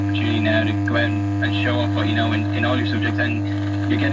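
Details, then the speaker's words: Pilot radio being worked on: loud steady mains hum through the speaker drowning out faint programme; reservoir capacitor suspected open circuit, not confirmed. "oh yeah baby now it sounds like the reservoir cap is open circuit"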